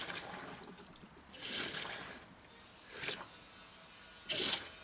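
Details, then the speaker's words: Mercedes CLK 500 with 144,895 miles, coolant reservoir filled with water and engine off: irregular splashy trickles in three bursts over five seconds, water leaking near the rear of the engine, suspected cracked heater hose. "I hear it leaking. Yep, you can see it drip right there. So it's leaking somewhere like this area."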